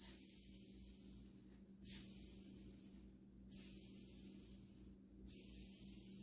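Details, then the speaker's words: New ProTek 14x25.4 mm rear bearing for a modded SH PT2009XB nitro RC engine, spun by hand: soft, even whir rising with each flick and fading out smoothly, a single sound with no roughness; bearing spinning smoothly. "it won't it'll just make one noise but a bad bearing uh it'll make two noises"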